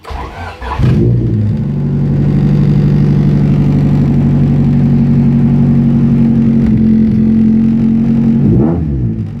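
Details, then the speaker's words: Honda Civic started with a DIY keyless push-button switch-and-relay setup after the key stopped working: the engine catches quickly, then holds a raised rev with a coarse, droning, raspy exhaust note. The exhaust sounds poor, and it was bought this way. "Yeah, exhaust sounds like shit. Bought it this way. It'll get better."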